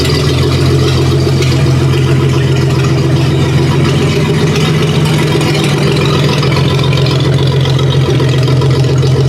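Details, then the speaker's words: 1956 Dodge 230 flathead six on an engine stand, just fired up: low, even idle with a smooth steady beat and no knocks or ticks; warm idle later about 550 rpm with 50 psi hot oil pressure and 21-22 inHg vacuum. "Get a little throttle. Oh, sounds pretty good. Got good oil pressure."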